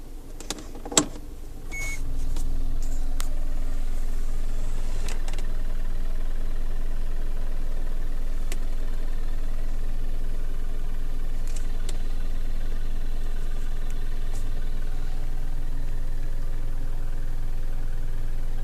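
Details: 2008 Toyota RAV4 petrol engine idling with a steady low rattle or knock at roughly four beats a second.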